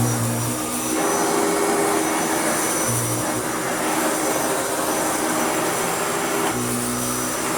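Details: Restored Hoover Turbopower U2724 upright vacuum with a new belt, cleaning a stiff wall rug: steady high whir over an even airy rush, no surging or rattles; normal, smooth running.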